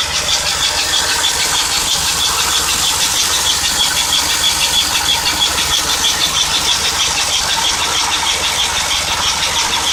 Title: Cold engine squeaking sound